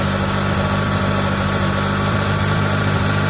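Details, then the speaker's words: Mitsubishi Lancer 4G13, brought in for low power and hard starting, idling after the idle was tuned and distributor timing set, vacuum reading 20; smooth, even idle with a steady low beat and no misses or knocks; normal idle. "So ito normal na mga bossing."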